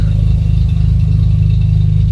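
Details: VW Jetta A4 Mk4 2.0 at idle with new plug wires, no catalytic converter: the engine shakes with an uneven, lumpy beat and stumbles, and there is a strong fuel smell. A weak ignition coil is suspected, its cylinder showing a yellow spark, causing the misfire.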